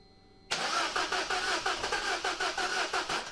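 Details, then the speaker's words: Peugeot 207 CC, engine believed EP6DT from VIN, cold, crank test after reinstalling pipe and two fuses: starter cranks evenly about six pulses a second, almost wants to start, sort of fires but never catches and runs; crank no-start. "let's give it a quick spin over almost wants to"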